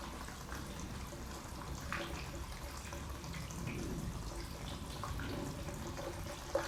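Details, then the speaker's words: Steady trickling and gurgling with small splashes as fuel finally flows over into the completely empty other side of the tank, filled by funnel, on a 1000HP AWD Hellcat-swapped Dodge Magnum wagon. "You can finally hear fuel flowing over to the other side. It sounds like it's completely empty."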